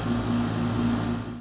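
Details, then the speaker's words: Old 12-year-old outdoor heat pump, being replaced: loud on start-up and while running, a constant hum with low electrical drone and fan rush; loud running noise. "so that's the existing heat pump as you can hear it's 12 years old loud on fire up and Loud running as well"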